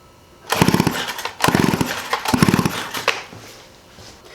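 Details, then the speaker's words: 1985 Stihl 028 AV Super Electronic Quickstop chainsaw, sitting about 10–15 years: three quick rope pulls with rapid chuffing compression strokes never firing; spark tester shows zero spark, switch suspected. "so turn it on so let's see if the switch even works i shouldn't probably get no spark at this point no spark"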